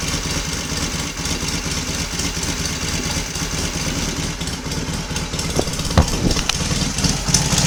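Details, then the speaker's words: Royal Enfield Constellation twin after cold morning start, both cylinders fed from one carburettor, slightly sticky throttle cable: steady idle with a few light blips, both cylinders firing evenly, no smoke; normal idle. "although we seem to be running very nicely on two from the one carburetor"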